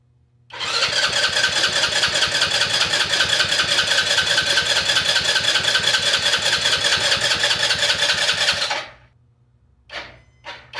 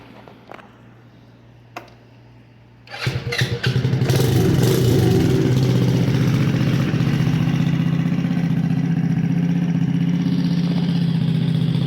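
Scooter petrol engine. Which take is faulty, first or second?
first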